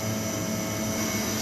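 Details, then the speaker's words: Ideal Imax Xtra F240 commercial gas boiler after E02 fault (no ignition after restart): even fan and burner roar, steady, no cutting out; firing normally with good working gas pressure and good combustion readings; PCB replacement considered if fault returns. "the other boiler sounds like it's just gone off and good combustion readings as well"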